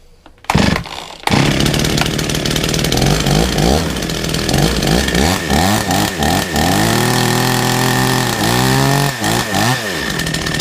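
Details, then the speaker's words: Chainsaw that had been sitting, refuelled: fires after a couple of pulls, then revs up and drops back cleanly several times with crisp throttle response; runs normally, though the chain brake doesn't work and the choke button needs repair. "Okay, so it works. However, the choke button um needs repairing"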